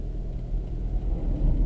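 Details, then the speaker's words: Toyota Prius hybrid in Japan, stopped and dead quiet with the engine off: only a soft, steady low rumble from the air-conditioner fan. It sounds louder only because the camera is close. This is normal fan noise. "The fan, you can hear the fan. That's the noise you can hear there, is the fan from the air conditioner. Again, that's only because you're close to it."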